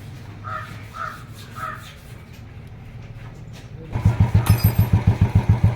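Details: Royal Enfield Classic 350cc single after replacing the bearing that caused the engine noise: birds, then it fires up into an even thumping idle of about three and a half beats a second, no knock or rattle; normal idle.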